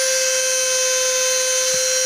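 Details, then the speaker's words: Cheap mini drill run at medium speed or lower: thin, steady high whine as vibration shifts the speed potentiometer and the motor accelerates toward maximum on its own. Fixed later with a drilled hole and small nail. "la misma tiende a acelerarse se mueve el potenciómetro de regulación de velocidad tal como vamos a ver"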